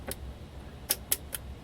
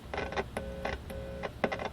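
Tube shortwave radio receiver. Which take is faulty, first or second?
first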